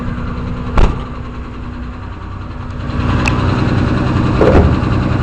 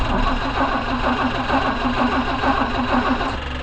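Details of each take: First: 164 engine after valve adjustment, started cold on full choke after sitting several days: steady even idle with low rumble, no misses or shake, engine sitting still after throttle blips; smooth idle, unlike before valve adjustment. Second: 164 engine started after sitting several days, choked: steady running with a coarse buzzing drone from the aftermarket electric fuel pump, loud when running dry, sometimes loud then quiet; replacement recommended.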